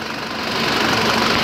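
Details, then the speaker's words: 2003 SsangYong Musso 7-seat diesel with Mercedes engine, about 90% original, clean and dry with no oil leaks, never overheated; even diesel clatter at idle, no knocks, misses or hunting: normal diesel idle. "Nó chạy rất tiết kiệm, máy đang nổ rất là êm."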